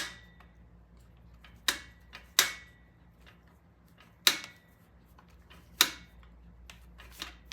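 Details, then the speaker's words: 1975 Norton motorcycle carburetor, setting initial idle: sharp, isolated clicks a second or so apart as the slide taps the idle stop screw, heard through a screwdriver held on it; contact point found before turning it in 1.5 turns. "So you can actually hear the slide hitting if you just hold the screwdriver on the end like that. You can feel it."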